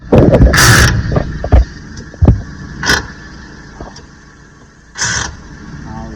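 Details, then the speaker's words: Maruti Alto 800 with a gear shifting problem: harsh grating crunches in short bursts as each gear is pushed in over a quiet idle, gears biting on engagement; faulty clutch pressure plate (cover assembly) not releasing cleanly. "சரி ஆனா கீர் போட்டா கடிச்சு கடிச்சு விழுகுது. அதாவது கீர் போடும்போது கர கரக்குன்னு sound வரும்."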